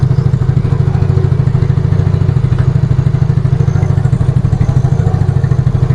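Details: Yamaha Mio Fino 125 fuel-injected scooter after cleaning and adjusting the idle speed control (ISC) via its hose: low, steady thumping idle with no throttle held, even rhythm, no hunting or dying; normal idle.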